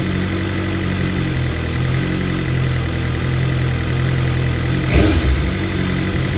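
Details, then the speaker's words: 2023 BMW M1000RR Competition, fully warm, with a new exhaust system and stock muffler: idle drifts slightly up and down every few seconds, a mild hunt that is normal given the high-lift cams and high compression. "you can see how the idle hunts a little bit right there um that's just due to the fact that we have a new system on here but we also have the stock muffler on there"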